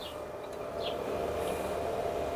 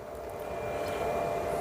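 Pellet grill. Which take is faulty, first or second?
first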